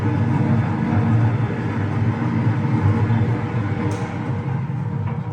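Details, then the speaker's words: Concrete mixer with Russian 41 PSN gearboxes, 1.6 mm discs, drum turning about 35 rpm; smooth constant deep rumble, gearboxes silent with no play, no clunks or gear whine; normal running. "Reduktorlarimiz ovozlari yo'q, umuman qimirlamaydi, rosa chotga yanilyapti."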